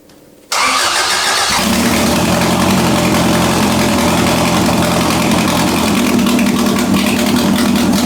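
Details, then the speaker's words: Budget widebody Toyota Corolla, first start: engine catches and settles into a steady idle with a rapid, even puffing tick at firing rate; exhaust manifold still loose with gasket missing, so the manifold leaks; parts to be ordered. "Now, obviously, the manifold is still loose, and there's still gasket missing, so I'm gonna have to order some stuff because I"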